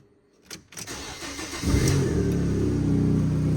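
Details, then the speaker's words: Cat S rear-damage salvage car at start-up and idle: rapid puffing chuff about four times a second, exhaust blowing; owner suspects the front flexi section of the exhaust. "blowing can you hear it blowing that's obviously on the flex SE at the front"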